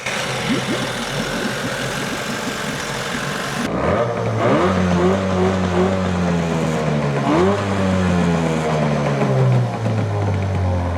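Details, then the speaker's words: Used Evinrude outboard after carburetor mixture set-screw adjustment: picks up cleanly from idle and revs up and down smoothly with an even, steady beat; running normally. "We got this sucker running perfectly."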